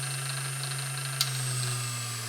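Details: Vintage Singer 201-2 sewing machine (Carol's) after restoration, run with the bobbin winder engaged: a steady, even motor hum with a smooth high whir, speed holding firm apart from a slight drop under load, no rattles or knocks; a strong, healthy motor.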